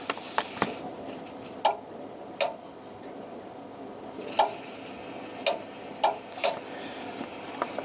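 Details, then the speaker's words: Washing machine pressure switch tested with air through its tube, pressure chamber fine: crisp single clicks at uneven intervals over a quiet room as pressure changes; switch responding normally. "and as you can see it's clicking away"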